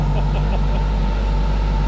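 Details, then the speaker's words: Wrecked 2011 Kawasaki ZG1400 police motorcycle, first start after rebuild work. A deep, steady, even four-cylinder thrum with no misses or knocks, and no leaks. Normal idle. "there's nothing leaking healthy so excited"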